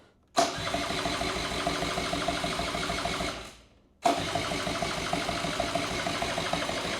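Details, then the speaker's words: 1984 Honda Spree scooter after sitting unused for years, only a smidge of gas added: starter churns about three seconds, pauses, cranks again, never fires; likely not getting fuel. "think we need more gas I don't think it's getting there"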